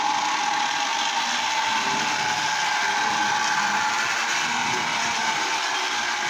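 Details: Lionel Tie Jector toy train after repair, motor brushes reinstalled, running with body on: even high-pitched motor whir at one steady speed with no catches or clicks; it runs again.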